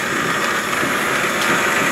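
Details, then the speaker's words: Antique wood lathe during restoration, old motor: a quiet, smooth whir with an even hiss and no knocking, grinding or wobble; normal running. "Nice pretty smooth quiet It's what an old motor on it as well, I like the old malt is lower than the new motors"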